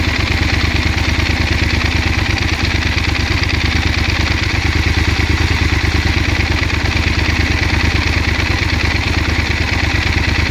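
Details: 2016 Yamaha Super Ténéré 1200 ZE: steady idle with pulsing beat about three per second and light clatter over it; source of engine noise unclear.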